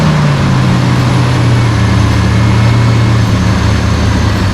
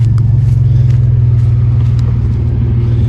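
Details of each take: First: 1992 GMC Sonoma GT, 4.3 L CPI V6: low idle that sags and recovers partway through. This idle surge began after a tune-up and persists despite many parts replaced; the cause is unknown. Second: 1992 GMC Sonoma GT, 4.3 L CPI V6, after replacing the spider injector assembly to fix an idle surge; driven on a loop under load, deep steady rumble pulling smoothly, no bogging, stumble, misfire or surge, feels strong and healthy.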